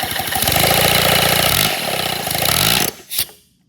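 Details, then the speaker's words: Redesigned 157cc inline twin compressed-air engine, 3D printed: a quick, slightly uneven chuffing of about four beats a second, then coasting to a stop; abnormal running, and the owner suspects a bearing overheating or feeling gushy. "It does still work now. But y'all, I know something is it's just something I don't know. Like, I think something's overheating. Maybe one of my bearings or something. Like, it just felt a little gushy."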